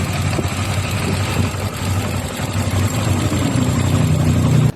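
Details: Honda Click 125i scooter that was hard to start in the morning and wouldn't idle, after valve adjustment for tight valves: idles steadily with even low putter, no misses or stalling.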